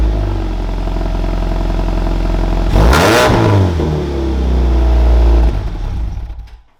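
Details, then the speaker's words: Supercharged Scion FR-S track car, cold start after HKS equal-length header and overpipe install fixing an exhaust leak, tune pending adjustment: sharp clean revs rising and falling smoothly, no ticking leak; sounds healthy. "It'll sound much better when it's warmed up, obviously, but I didn't have time to sit here and wait for it, you know, to warm up. So you guys got the cold start."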